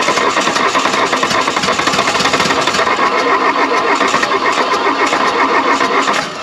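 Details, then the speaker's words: 1979 VW Mk1 Rabbit diesel, revived wreck, cranked after belts and pulleys refitted and a cool-down: fast steady starter churn with a few stronger beats as cylinders try to catch, never runs; no coolant yet, cause unconfirmed. "oh she was so close come on"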